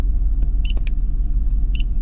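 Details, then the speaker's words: BMW E46 3 Series idling rough and trembling, check engine light on; idle rumble wavers and stumbles unevenly as one cylinder drops out; OBD scan shows cylinder 2 misfire, traced to a faulty ignition coil. "leggi codici ecco descritta misfire centra due molto semplice"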